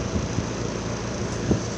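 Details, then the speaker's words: 2018 Trane XR 5-ton condenser, not a heat pump, running in cool mode: steady drone with loose uneven rattles; just a rattle from loose cabinet screws that need tightening. "This XR sounds really bad. It's rattling. Well, that doesn't sound good."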